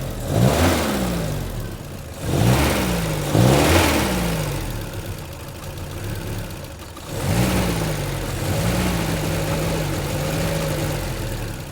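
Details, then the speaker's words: 1975 MG Midget 1500 with starting problems, spark plug tester fitted: short rev blips sound lumpy and hesitant, dropping back to an uneven idle; spark weakens as revs rise, owner suspects the coil and tries the old one. Rough running from weak spark. "it's sparking still a bit lumpy though feel it yeah that could be because the uh I'll bring the idle up a bit"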